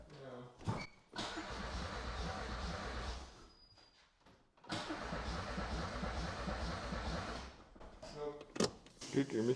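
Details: Audi 80 petrol with an ignition spark that gave one spark and then none, coil terminals suspected corroded: two steady bursts of cranking at about three turns a second with no firing; turns over but won't start.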